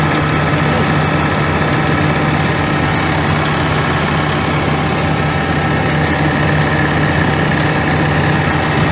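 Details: Scania G410 with 13L OC13 methane gas engine, about 400,000 km, after rebuild for overheating without antifreeze (cracked heads): deep, even idle rumble, no knocks or misses; normal idle.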